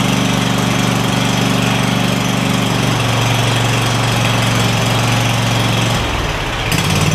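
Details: Craftsman DYS4500 lawn tractor, Kohler Courage V-twin, after swapping the 12V ignition module for traditional coils and fitting a new spark plug: a steady, even low drone that holds speed with no surging, with a brief speed change near the end; normal running on both cylinders.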